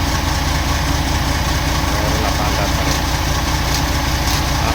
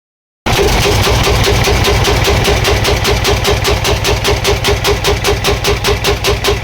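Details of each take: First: CAMC truck, CM6D28 430hp diesel, rebuilt after exhaust brake overuse broke valves, piston rods and rocker arms: deep, steady idle with an even beat and no knock or clatter; engine sounds healthy. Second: CAMC CM6D28 430 hp diesel engine bangs with a loud, heavy knock about two and a half times a second until shutdown; severe knock from a broken valve, blamed on overuse of the exhaust brake.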